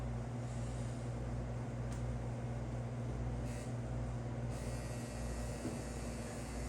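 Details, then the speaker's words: Unrestored vintage tabletop fan, possibly 1920s–30s, with chewed cord insulation, plugged into a protected outlet, speeds and switch untouched: steady low electrical hum from the motor without airflow building; unplugged because of the hum, cause unknown. "There is a hum from the motor. So, I'm going to unplug it. You might have heard that. You probably could hear that hum on camera."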